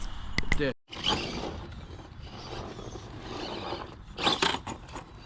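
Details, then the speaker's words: Traxxas TRX-4MT fitted with Furitek Monster brushless power system: short rough plastic grinding bursts over motor whir while driving; owner suspects axle or drivetrain plastics wearing out, not confirmed. "And I'm wondering what that noise is. So something is going out. You can hear the plastic grinding. Something is definitely going out."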